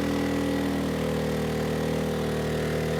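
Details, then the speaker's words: ERAYAK 3500 W tri-fuel inverter generator on propane overloaded to about 3,400 W; steady engine drone whose pitch sags and stays lower as load builds; engine bogging, propane about 10% down on power versus gasoline. "about 34 yeah the engine's slowing down so let's turn some of these off"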